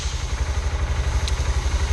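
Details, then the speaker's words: Honda Grom with a Hard Racing shift shaft support just installed: lumpy single-cylinder idle pulsing evenly, with one crisp click as the gear engages into neutral and first, a clean, positive engagement after the install. "Okay, and it says neutral, so that seems pretty smooth. Here we go. Oh yeah. So you definitely hear a good engagement. That sounded like neutral. That sounded like a good engagement."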